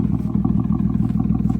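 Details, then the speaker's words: Audi A4 B6 3.0L with straight-pipe exhaust, ECU immobilizer bypassed, revved in neutral below redline; no check engine light or codes so far: loud, deep, even exhaust pulses climbing cleanly with throttle, no misses or knocks; normal revving. "What do you want me to bring it up to? Just rev it. Don't go to red line."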